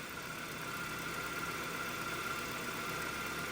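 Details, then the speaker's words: 2-door Ford Escort with 117,500 miles, after the AC compressor was turned into an idler pulley with the stock serpentine belt, plus a new valve cover gasket and oil and filter change: quiet, steady idle with no knocks, ticks or misses; runs good. "And yeah, she's for sale. Make me an offer, baby. She runs good."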